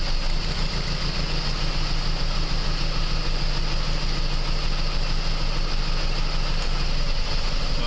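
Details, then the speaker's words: 2001 PT Cruiser 2.4 petrol four-cylinder at idle during a power balance test pulling plug wires one at a time; uneven lumpy beat, all four cylinders firing but some weaker, misfire at idle, cause not yet found. "so as you seen with that quick Power Balance test all four cylinders are firing some are more impacted than others"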